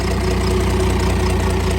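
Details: Cummins diesel burnout truck thought blown up, restarted; even, steady idle with smooth regular beat, no ticking or knock; slight sewing-machine exhaust kick said to be normal and common on these: normal idle.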